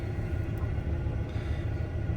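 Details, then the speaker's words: Truck that sat about six months before starting, headers fitted with second O2 sensor removed, catalytic converter retained; low, lumpy, uneven idle; rough running, owner blames mostly the emission system, not confirmed. "I don't know how well you'll be able to hear on camera, but you can hear it's not running right. Most of it is because the emission system,"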